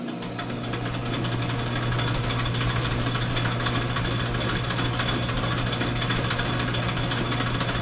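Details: Old Sidney lathe fitted with a 110 motor, spindle oil just topped up: steady low motor hum with even belt and gear chatter, no knocks or rubbing; runs smoothly, only the speed lever detail needs fixing.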